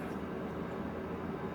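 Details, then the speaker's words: BVX-200 twin-port solder fume extractor, bought at auction, runs with a soft, steady fan whoosh and low hum, even and unchanging; it is quiet and working normally. "you can hear it's quite quiet it's a quite pleased with that"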